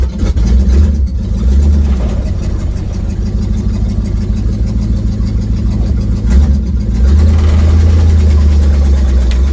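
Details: 1972 Ford Mustang V8 driving, recorded by a phone on the dash: a deep, loud, rough and uneven rumble inside the car from an exhaust leak.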